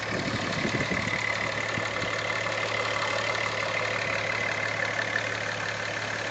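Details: VW VR6 just back from the shop, idling: light, quick ticking over the steady engine hum, also ticks when revved; owner also sees a pulley that seems to wobble and make a weird sound.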